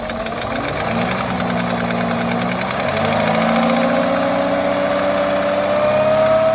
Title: Porsche Cayenne 955 M48.00 4.5 V8 2003 engine knock